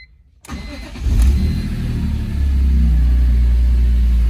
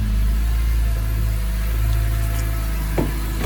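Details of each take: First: Retired BMW M3 track test car with independent throttle bodies, first start after sitting for years, following new fuel filter, fuel pump, crossover tube, O-rings and cleaned tanks and lines: catches quickly, revs once, settles into deep steady idle. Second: Retired BMW M3 track test car with independent throttle bodies, first run after sitting for years and a fuel system refresh: steady low idle with slightly uneven lumpy beat and faint stumble; a tad cranky from storage but running.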